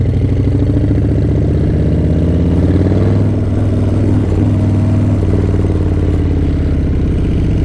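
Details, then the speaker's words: Harley-Davidson 131 Breakout (M8 V-twin): loud, lumpy idle with a rough clattering knock over the low thump, sounding like engine knock and occurring more quickly now; irregular, cause unconfirmed. "It's going to do it a lot quicker now, so let me let you guys hear it again. As you can hear, it kind of sounds like engine knock."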